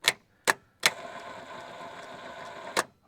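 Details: Holden Commodore VP 5L V8 wagon with the V8 starter motor refitted after a bench test and a V6 starter comparison: sharp engagement clicks, then a steady, even crank; the starter works properly.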